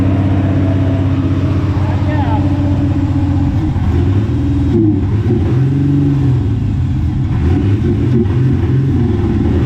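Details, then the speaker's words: 1994 Mazda B3000 with swapped 4.0 OHV, after clearing water-contaminated fuel: idles steadily then revs climb and fall cleanly, no misfire or knock; running now, owner mentions a vacuum leak. "Well, that's it. It's running now. I can go have breakfast."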